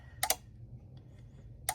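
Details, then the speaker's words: GE fridge after replacing control board: two sharp double clicks about a second and a half apart, no compressor hum; relay clicks but compressor won't start, new board suspected faulty too. "That means this board is messed up as well. It's not supposed to be making that noise. Yeah. See, it's not kicking on because that is the problem."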